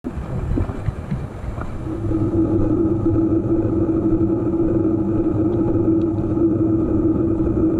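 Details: EVO GP PRO: a steady mid-pitched hum rises out of the running vehicle's rumble after a couple of seconds and holds; humming noise of unclear cause.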